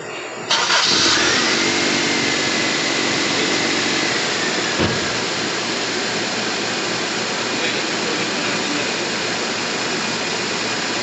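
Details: Toyota GLI 4A-FE engine after repair, formerly hard-starting, noisy and stalling on shifts: cranks briefly, catches cleanly and settles into a steady even idle with no misses, holding when shifted to reverse and drive.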